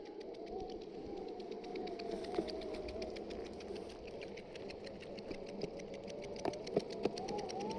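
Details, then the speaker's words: Exway Ripple electric skateboard rear hub motors: rapid, light, steady clicking about three to four per second over faint motor whine, like something in bicycle spokes, even when pushed by hand; cause unknown. "sounds like something sounds like something stuck in the spokes of a bicycle it does it even when I push so we'll see if that's a problem or not"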